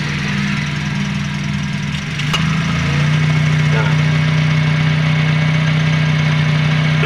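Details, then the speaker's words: Toyota Calya being checked because AC suddenly stopped cooling, at idle: brief clunk then the engine note drops and settles as the AC compressor clutch engages and the outer plate spins evenly, normal compressor operation. "Untuk saklar pada saat kita on dia akan berputar di bagian clutch setnya."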